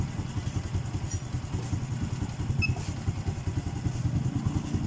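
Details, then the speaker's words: Honda Blade FI motorcycle after TPS sensor replacement and intake valve clearance loosened: steady low thumping idle with no misses; idle and performance much better than on arrival, though compression is still weak. "Tapi untuk dari segi langsam ataupun performa, ini motornya sudah jauh lebih baik daripada yang awal datang tadi."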